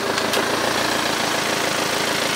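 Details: BMW 320d Touring diesel after repair of worn-away gear teeth, shifting drive/reverse that previously thudded; steady even idle, no thump or clunk on engagement, drivetrain clean and healthy.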